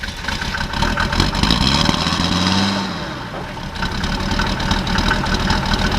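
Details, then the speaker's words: 1991 Mercedes 300D diesel being straight-piped, burning and smoking oil: loud clatter rising and falling with revs, uneven knock underneath; knock suspected, cause unconfirmed. "it sounds like knocking hit something knock probably I mean it's burning a lot of oil"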